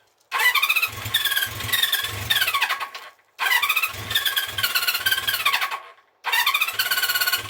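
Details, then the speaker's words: 1974 Honda CB350 Four started without choke, then at 50% choke and off: revs flare in short rising bursts, then sag and cut out, not holding revs off choke. A fuelling fault in the carbs is suspected. "Same thing really. Should be revving up. Should be revving up like that when it's off choke, and"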